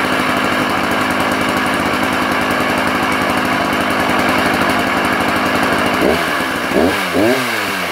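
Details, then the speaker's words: Sachs Dolmar 133 vintage 85cc German two-stroke chainsaw, never cut with, good compression: steady rough idle with deep low-down rumble under exhaust crackle, no longer smooth; owner says undoubtedly worn main bearings, now for parts. "she definitely has a low down Rumble and it's undoubtedly main bearings"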